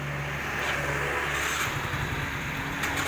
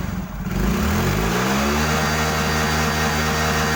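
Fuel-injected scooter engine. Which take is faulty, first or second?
first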